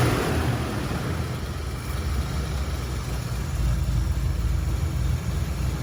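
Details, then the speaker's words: 1977 Mustang Cobra II, bought as a blown motor, owner wondered about a rod bearing: deep, even low rumble at steady idle, no knocks or misses; smooth, healthy idle. "I feel like there's nothing wrong with it. Like, listen how smooth this thing is."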